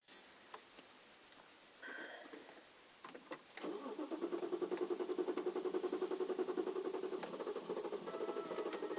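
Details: 2008 BMW 335i E93 N54 convertible: starter cranks steadily for several seconds before the engine catches, a hard start; high-pressure fuel pump failure suspected.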